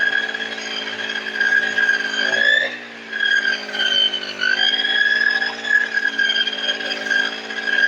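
High, steady buzzing two-stroke note with one brief dip in revs that recovers cleanly; the cutter runs smoothly and evenly.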